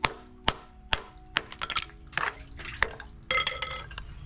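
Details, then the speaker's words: Hammer tap test on the top of a delaminated spa step's pebble finish: sharp ringing taps about twice a second with clean decay and no dull thud; this surface sounds solid. "So I'm sound checking with a hammer, and on the top side it sounds good."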